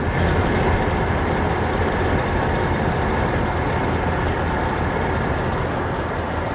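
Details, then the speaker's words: 1997 Jeep TJ after two new pulleys and a refitted belt: steady, even idle with no squeal or chirp. Normal idle. "Well, that sounds way better."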